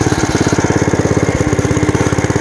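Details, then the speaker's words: Bolens Ridemaster riding tractor, single-cylinder engine, discing after long disuse, with flat tires: the engine chugs under load with an uneven, wavering beat and is running rough; the owner says it needs a new carburetor, cause unconfirmed. "I said it's not running well you can hear that"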